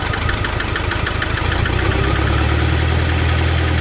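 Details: Nissan NP300 Hardbody, with electronic fuel delivery, misfiring at idle: an uneven, lumpy, stumbling exhaust beat, cause not determined.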